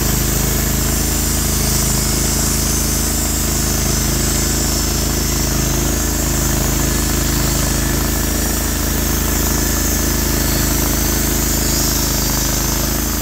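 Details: Norwood HD36v2 bandsaw mill, day two testing new roller guides that replaced the ceramic guides, slabbing big black oak through bark at about 24 in wide: the engine holds a steady, even drone under full cutting load without bogging or surging; the mill is cutting normally.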